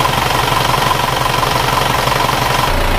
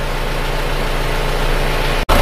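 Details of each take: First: Isuzu Panther diesel at idle: steady idle with a slightly harsh, busy rattle on each firing pulse, rougher than a comparison engine; attributed to worn timing gears. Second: Isuzu Panther diesel from Kediri after repair with all-new original liners, pistons and rings, still cold shortly after start: steady even low rumble, no knocks or misses, smooth and soft; normal idle.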